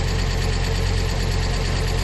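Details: Fiat Coupe 20v Turbo Plus, first start after cam belt, belt kit and exhaust cam pulley replacement following a cam phase sensor failure; auxiliary belt and lower crank pulley guard still off. Steady, even low idle with no misses, ticks or knocks; healthy.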